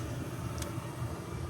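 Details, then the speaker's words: Home furnace after cleaning its flame sensors, which had caused it to shut off and power cycle: steady low burner roar without cutting out or cycling; flame stays lit, normal operation. "अपना काम हो गया boss, flame चल रही है। जैसे अभी तक आपको आवाज़ आ रही है, अपना यूनिट पावर साइकिल नहीं हो रहा है।"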